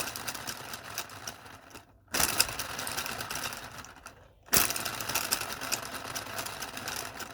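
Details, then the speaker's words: Small 3D-printed "Telboy" solenoid motor driven by a JL94 circuit at high voltage: fast light ticking chatter that dies away then kicks back in twice; intermittent self-running, magnets keep popping off. "yeah you can hear it it it wants to go it kicks in and it goes"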